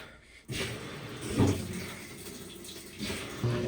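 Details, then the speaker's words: GE GTW220ACK top-load washer after new belt fitted and pulley cleaned: motor kicks in and tub spins with low, even rumble and water swishing, normal spin, speed sensor recognised; previously wouldn't spin and ground loudly. "It's spinning. That means it's recognizing the speed sensor that it's there."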